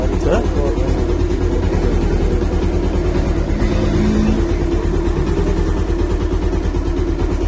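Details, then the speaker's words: Bajaj Pulsar 150, unserviced for a long time with a strange engine noise, running after an oil change, timing set and a new tensioner fitted: steady single-cylinder beat at idle with no top-end rattle; engine now runs smoothly. "इसमें जो है बहुत ही ज़्यादा पहले शोर आ रहा था, अब जो है बहुत ज़्यादा इसमें कंट्रोल हो जाएगा क्योंकि हमने जो है इसकी टाइमिंग वगैरह जो है बराबर कर दी है"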